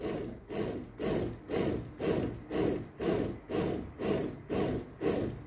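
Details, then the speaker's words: Tesco BM1333 bread maker after replacing the melted motor belt: a smooth motor hum swelling and fading about twice a second as the kneading paddle turns, with no grinding. Running normally. "i'll just let it run for a little while okay everything seems to be working"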